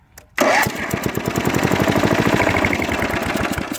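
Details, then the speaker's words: Toro Wheel Horse 8-25 riding mower, bought used; brief cranking, catches at once, settles into a quick even single-cylinder putter with no misses: normal start and running. Possible past oil leak at the oil tube. "fires right up"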